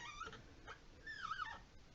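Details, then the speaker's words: About 10-month-old two-handle washerless Delta faucet model 25770LF, water shut off: two high whiny squeaks bending in pitch as the handle turns; fix by lubing or replacing the O-ring. "hey YouTubers this is old John going to make a video today on fixing a squeaking faucet"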